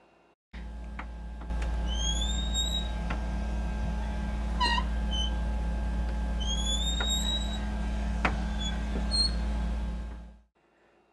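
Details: Interior bedroom door: drawn-out, rising high-pitched squeaks as it swings, from dry hinge pins; fixed by removing the pins and lubricating them.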